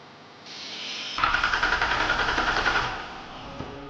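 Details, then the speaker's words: 2005 Ford Taurus wagon derby car, late at night: brisk, even cranking at about nine beats a second for under two seconds, never fires; cranks but no start, fuel pump failed after running out of gas. "Long story short, we got a fuel pump that's bad because it ran out of we ran out of gas"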